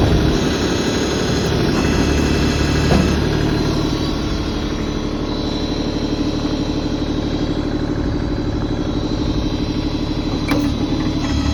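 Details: LS XJ2025H 4WD compact tractor with loader and backhoe, still under warranty, started up: steady diesel clatter settles into an even idle with no misses or knocks; the owner says it runs great. Normal idle.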